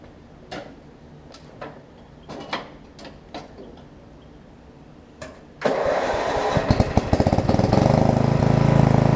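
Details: Murray rear-engine riding mower after new blade, new drive belt, blade brake adjustment and oil refill: a few clicks and handling, then engine catches and settles into a steady, even run without knocks or shaking.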